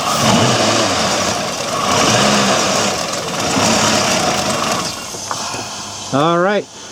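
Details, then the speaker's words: looks like a fuel delivery issue to me "looks like a fuel delivery issue to me"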